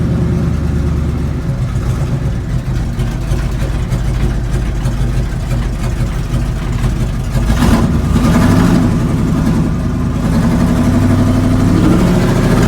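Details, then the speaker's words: 1970 GMC big-block V8 truck, possibly its first drive: lumpy uneven idle about three pulses a second with recurring stumble; misfire persists despite new plugs, wires, cap and rotor; owner suspects carburetor needs rebuild, planning fuel injection swap. "it has all new spark plugs plug wires cap and rotor and we're still having a little bit of a miss i'm pretty sure it needs a carb rebuild is causing the uh the running like crap part"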